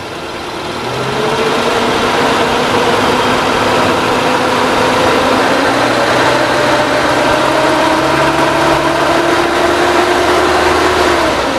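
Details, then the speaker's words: 2003 Suzuki Carry Futura Realvan used-car check: after very smooth idle, engine revved to 3000–4000 rpm pulls up smoothly and holds steady, no knocking, metallic noise or stumble, no white exhaust smoke; healthy engine. "Nah, kita naikin RPM sampai 3000 sampai 4000 aja masih halus suaranya."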